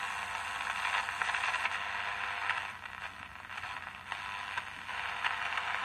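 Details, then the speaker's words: Emperor AIE-641 1970s single-battery portable transistor radio after repair and reassembly, tested with a small transmitter: clear, steady, louder radio sound with crackle, no hum, buzz or distortion; normal audio output. "Fitting in the screws Now we have louder sound"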